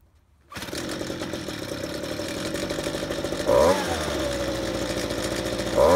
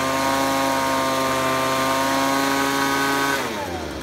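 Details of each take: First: Ryobi handheld two-stroke leaf blower pulled from the trash, recorded before any repair: buzzes along, then each trigger squeeze makes the note sag and stumble before recovering, bogging under throttle; carburetor adjustment suspected, not confirmed. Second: Ryobi leaf blower taken from the trash that would not rev up, after carb spray cleared a plugged, stuck high-speed carburetor nozzle. A clean, steady high-pitched scream held at full revs without bogging, then the pitch drops smoothly off throttle. Running properly.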